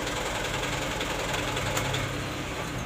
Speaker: jadi penjelasannya seperti ini untuk mobil counter jika pada saat mesin kita hidupkan yang awalnya ini menyala kemudian setelah beberapa detik kemudian mati itu sebenarnya masih tergolong normal